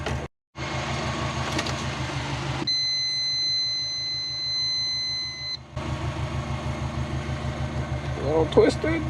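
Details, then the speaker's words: Big-turbo Subaru Forester with external wastegate, battery just charged, master switch on: steady cranking, pause with high beeping, cranking resumes without catching; no start, suspected flooded or out of fuel. "all right she doesn't want to start [Applause] either a flooded or we're out of fuel"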